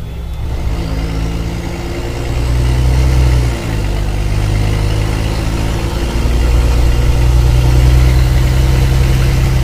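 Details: Mercedes-Benz O-500MA bus diesel idling then revving, with a rough puffing chuff over the deep rumble that sharpens with revs, from a holed exhaust.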